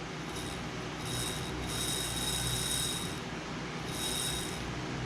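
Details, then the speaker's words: Bachmann Spectrum N-scale SD40-2 locomotive bought used on eBay, bare motor powered by touching contacts: thin high whine swelling and fading with light rattle because the motor is loose, not held in its mount; motor spins well. "Oh yeah, motor spins pretty well. You can see that through my hand. A little bit noisy since it's not being held in by anything, so it's just rattling around in there."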